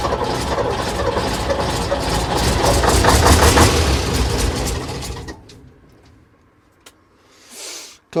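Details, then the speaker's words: AEC Matador 7.7 litre diesel, in neutral on a cold day, after overhauled injection pump and injectors refitted: about five seconds cranking at roughly three turns a second, no firing; air in fuel system after it was apart. "Right, we got to remember that the entire fuel system's been apart. So, I'll blow out what air I can, but it's still going to take a bit more work."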